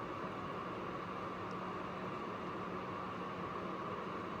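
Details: APC UPS after overload removed, load cut back to 600 W: steady, even fan hiss with a faint low hum and no beeping; running normally under load, overload beep ended.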